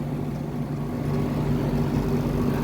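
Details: LG condo air conditioner outdoor unit (R410), after repair for weak cooling, loud compressor and slow fan: steady even low hum with firm airflow rush, no rattle or labouring; current about 3.24 A, lower than before; outdoor fan running healthy and strong.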